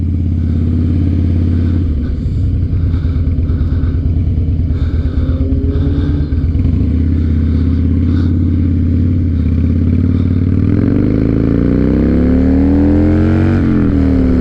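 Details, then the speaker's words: 2007 Harley-Davidson Night Train V-twin accelerating on the road after fuel pump and holed in-tank fuel line fix: deep, even thump pulling cleanly as revs climb, no stumble or hesitation; runs better than ever, even versus a full tank before. "Yeah, it's never run like this. Not even when it was full of gas, it never ran like this. This is great."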